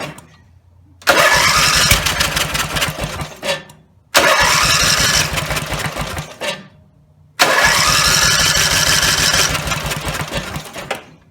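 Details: Rebuilt Briggs and Stratton 17HP (carb rebuilt, plugs, sump, oil slinger, gaskets replaced, valves reseated): three runs, each revving loud and rough at full throttle then dying within about three seconds; owner suspects the throttle linkage lever isn't resting on its screw.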